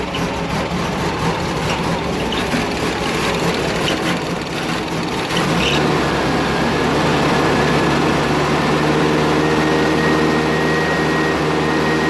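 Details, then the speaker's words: Engine idling right after a catalytic converter was installed after the muffler, temporarily supported: steady, even low idle with a smooth exhaust beat, about four pulses a second, no knocks or misses, a little quieter. Normal idle. "Sounds a little quieter."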